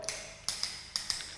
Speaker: So, I'm just going to show you the difference between a drummy tile and a and a solid tile. So, this is what a solid tile sounds like.